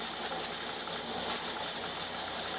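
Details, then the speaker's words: Pressure canner canning turnips, heat turned from high to medium: weighted regulator jiggles continuously with steady hissy rattle, should slow to about four to five jiggles a minute; normal regulation. "it's gonna take a little bit for that you know continuous jiggling to slow down to where it's supposed to be but it will get there but you see it jiggles and it wiggles and dances around there"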